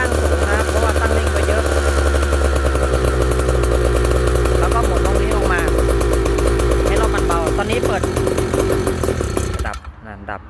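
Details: Small two-stroke stand-up scooter engine after carburettor tuning: buzzes with revs that hunt and waver, then dies after about ten seconds; running lean, not enough fuel, mixture needs opening up.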